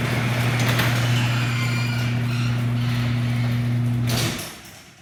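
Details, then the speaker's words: Garage door closing before lubrication: a low, steady, moo-like groan for about four seconds while the door travels, stopping when it stops. Dry hardware is suspected; 3-in-1 garage door lube to be sprayed. "So, this is the garage when it's open. I'm going to shut it. And this is what it sounds like before we spray."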